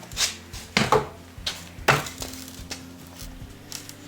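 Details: Old wooden buggy or wagon wheel bought at auction, rocked by hand during a diagnostic check: irregular dull wooden clunks and knocks, as the wheel is quite loose, with loose spokes and a failing felloe joint.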